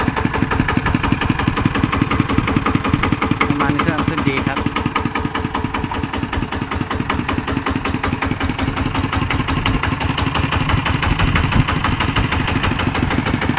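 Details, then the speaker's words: ET110 single-cylinder diesel after rebuild with a reground crankshaft, at idle and normal rpm: steady, even thump with no misses or knocks. White smoke on acceleration now fixed. Normal running. "อาการที่เร่งแล้วควันไหลพอดพอดๆๆไปนั่นน่ะหายแล้วครับ"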